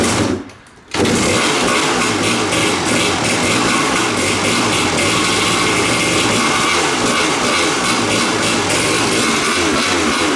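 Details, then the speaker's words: Kawasaki two-stroke dirt bike on a new genuine Keihin PWK Air Striker carb, untuned and straight out of the box: crisp, steady buzz with no stumbling, running less lean than the Chinese replica carb. "that carburetor straight out of the box I can tell it runs better than the China specials maybe the child special can be tuned but it just felt crisper it didn't run as lean"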